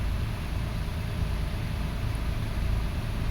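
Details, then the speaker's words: 2005 Toyota Passo on its original ECU, ground fixed after an intermittent no-start, coil current slightly increased; smooth, even low hum with a constant beat, no stumbles or ticks; normal idle. "I'm going to start it. Oh, and this is the original ECU too. Okay, running well. Engine is smooth."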